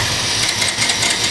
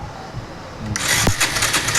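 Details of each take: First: Bajaj Avenger 150 no-start: with a new original Varroc part fitted, ignition on and clutch held, starter spins strongly and steadily with an even whirr; power now comes correctly, confirming the CDI was the fault. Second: Bajaj Avenger 150, no kick starter, battery charged, brought in for no-start: new power coil fitted, starter cranks with fast even whirring but engine never fires; still no spark, fault later traced to the CDI.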